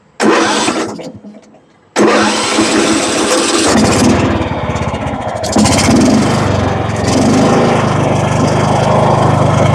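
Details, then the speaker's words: John Deere riding mower with a Kohler Command engine that had a no-start from a stuck anti-backfire solenoid and bad gas, after carburetor work and refitting a solenoid. It cranks, catches, dies, then restarts and settles into a steady, even run. "Sounds better now."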